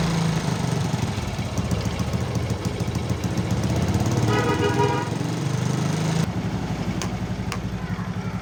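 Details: Motorcycle after repairing a stripped spark plug thread in the cylinder head without engine teardown; a snapping noise was traced to a loose exhaust clamp bolt. Starts immediately and idles with a steady, even single-cylinder beat, no misfire, knock or rattle: normal idle.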